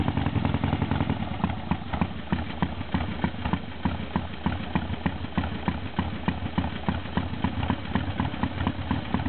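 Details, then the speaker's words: 1978 Harley Sportster V-twin after a cold start, engine cold: uneven loping potato beat at about two hundred pulses a minute, steady idle, healthy. "Gonna start it up from a cold start. Engine is cold."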